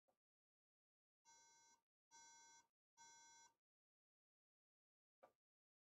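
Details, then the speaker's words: 2011 Mac Mini failing to boot: three evenly spaced half-second beeps with the power light blinking on each, the startup code for memory; DDR3 RAM fitted. "yeah you hear that I three beeps it blinks the uh power light with each beep Dave's vintage apple is saying memory"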